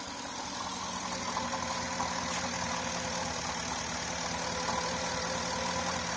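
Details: Porsche Cayenne 955 running rough under 3000 rpm with misfire fault, on right-hand fuel pump alone at about 4 bar: steady, even idle with faint pump hum and no misfire or stumble; this pump is good.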